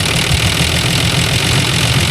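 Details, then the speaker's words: Engine idling after Seafoam treatment; previous bad tick now gone, even steady rumble with no ticking or knocking: normal idle. "But there's no there's no tick anymore. We used to have a bad tick. Now it's completely gone. Sounds like it's running smoother."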